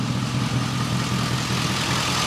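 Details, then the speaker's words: 2005 Chevrolet Tahoe V8 after the misfire was fixed: steady even idle with only light injector tick, no stumble or skip, normal idle. "All I hear is injector. Finally. So I'm charging up the laptop a little bit. I gotta get the scan tool out here and you know, clear the check light, but it's definitely not misfiring anymore. Sounds so much better."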